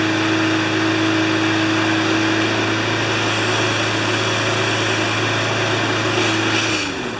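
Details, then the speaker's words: Briggs & Stratton Pulsa Prime small engine after fixing carb flooding caused by failing imported diaphragms, crankcase ventilation hose off and air filter refitted; steady, even drone with constant pitch and no surging for several seconds, then shuts down. "that's perfect it runs just great and I think you saw how it was running before"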